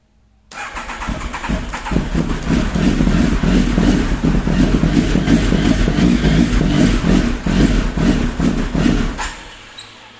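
Steady rhythmic starter churn, nearly three pulses a second, for about nine seconds with no catch or firing; cranks but won't start.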